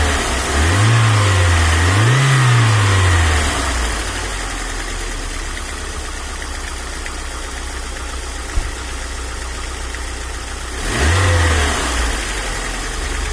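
Quick, even ticking, about four per second, riding over the idle and revs and following engine speed; typical noisy hydraulic lifters.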